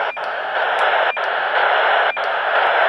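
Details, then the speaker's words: UHF radio on 449.4875 MHz: steady static with a short, sharp beep about once a second, heard constantly, 24 hours a day; the same beep appears at the same time on a suspected input frequency about 4.375 MHz away; source unknown. "you see there I've got the be put the S on the play think transceiver and it seems to be that that beep is occurring at the same time on both frequencies"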